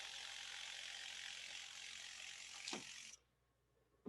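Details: Viper MINI direct-to-garment pretreatment machine spraying shirts, spray length set by release of the button: steady high hiss for about three seconds, a click as it cuts off, then quiet; normal spraying cycle.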